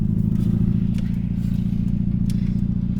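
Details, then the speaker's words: MG ZR that broke down, driven through the Alps toward Italy with no power. A lumpy, uneven engine note like an old three-cylinder car while pulling away: one cylinder is misfiring. "It sounds like a car. Like a certain old classic, probably a 3-cylinder car."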